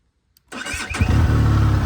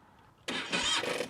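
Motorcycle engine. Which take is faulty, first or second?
second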